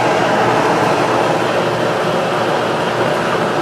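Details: Kenmore electric dryer after replacing the seized motor with a new one, running without heat, drum turning the wrong way: steady low rumbling tumble, soft even rhythm, belt straight, no squeal or scrape; normal drum tumbling.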